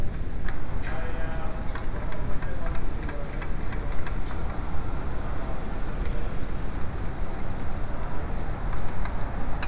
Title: VW A2: 1.8L Noisy timing belt tensioner